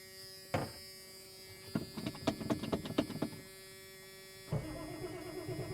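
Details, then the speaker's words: 1989 Ford F250 7.3 IDI diesel cold start after sitting eight or nine days, after a new radio install: uneven cranking chuffs, then the engine catches and holds a steady low idle; starts fine. "I love this damn truck just listen to this [Applause] thing I ain't started that thing in probably eight or nine days oh it's gorgeous absolutely gorgeous"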